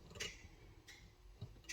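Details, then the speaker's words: 1985 Chevy C10 LS swap with Turbo 400 transmission and newly fitted drive-by-wire pedal: a few faint sharp clicks as the pedal hits full throttle; the kickdown solenoid engages normally. "Kicks in here, and there's full throttle. Kicks out, in, out, out, full throttle."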